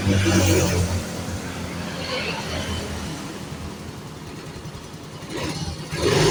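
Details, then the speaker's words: Yamaha Mio Fino 125 scooter that had died and would not run, after cleaning stubborn carbon deposits off the valves, catches and settles into a steady, even idle with a smooth low hum, no misses or knocks; idle normal. "oke langsung normal ya sekarang ya langsamnya juga normal"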